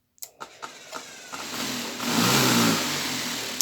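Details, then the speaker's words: Homemade sand vibratory tumbler driven by a sander motor on a variable-speed drive started near zero: a few soft knocks, then a rough low growl swelling as speed rises; motor labouring at very low speed. "Donc là on entend grogner un petit peu la ponceuse dessous parce qu'on est vraiment à bas régime."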